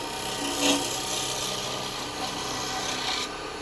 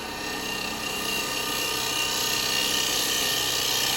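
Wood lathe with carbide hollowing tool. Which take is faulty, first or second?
first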